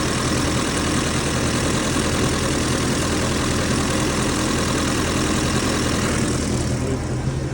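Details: Austin 7 four-cylinder, not started since about 2007 and seized, now freed up and fired with fresh petrol and water: ticks over at a steady, even idle with no knocks or misses; sounds healthy.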